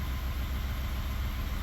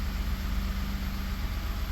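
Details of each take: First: 2019 Ford F150 3.5 L V6 with code P0304: rough, lumpy, stumbling idle from cylinder 4 misfire on port injection only, smoothing on direct injection only; new coil and plug didn't fix it, port injector faulty. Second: 2019 Ford F150 3.5 L with P0304 cylinder 4 misfire, running on direct injection only: steady, even smooth idle with no skips; on port injection only it runs terribly, pointing to cylinder 4 port injector.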